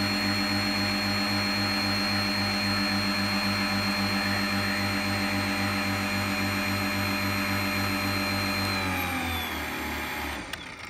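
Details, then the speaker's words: Earthwise 56V electric powerhead on Hobie kayak drop-in drive, converted from gas: steady high whine with pulsing beat that sags in pitch and dies away; motor slowing and losing speed as battery runs flat. "can almost hear that battery coming kind of slowly fading it's kind of interesting"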